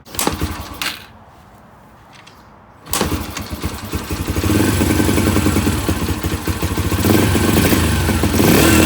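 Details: 2005 Yamaha TTR 125 bought cheap and in rough condition, oil checked, being kick-started: a few kicks and clatter, then the single fires and settles into a steady popping idle that picks up evenly. Runs properly.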